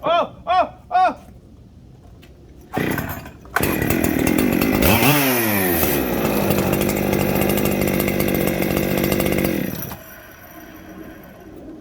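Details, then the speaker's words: Ported Echo 7310 chainsaw with muffler mod, scored piston history, once warm: idles fast and high, and idle jumps when carb cleaner is sprayed on the transfers, not the clutch side; air leak at the transfers. "It's already idling too high. Oh!"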